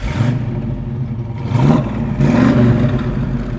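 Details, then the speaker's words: 1967 Chevrolet Chevelle Malibu wagon V8 just started: a steady rumble with two clean throttle blips rising and falling smoothly, with no knocks or misses. The engine sounds healthy. "but it sounds real good"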